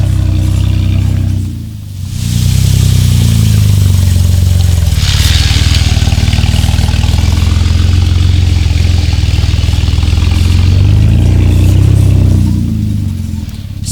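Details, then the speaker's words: Jeep Wrangler JK Rubicon, manual, 38-inch tires on stock 4.10 gears, hill climb in 4-high first gear at light throttle: engine lugs deep and low, barely gaining revs; bogging, not enough RPM from too-tall gearing. "you could hear that, guys. It was bogging down, not enough RPM. You would have to use a whole lot more throttle than that."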